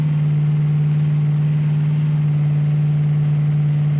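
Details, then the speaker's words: 1966 Ford Bronco 302 V8 with Lunati VooDoo flat-tappet cam, after replacing a bad lifter that ticked, headers and Cherry Bomb Vortex mufflers, no transmission: clean, even-firing revving with no ticking; sounds healthy. "all right so uh i hope that sounds as good to you guys as it does to me because uh as you all know we have chased a few gremlins on this engine and but it really sounds good"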